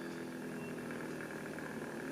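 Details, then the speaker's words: Knockoff Pierburg BMW electric water pump at reduced supply voltage, PWM down to about 10% duty: soft steady hum with faint even whine, no rattle; turning slowly and smoothly, barely audible. "and slower all the way down to a point where you won't be able to hear it anymore. I can feel that that's still going."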